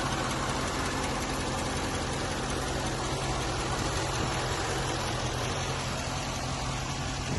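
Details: 2013 Chevrolet C6 Corvette V8, seller's phone recording: steady idle with light, quick, uneven top-end ticking over the rumble; buyer wonders if lifter, belt or cold engine; cause unknown.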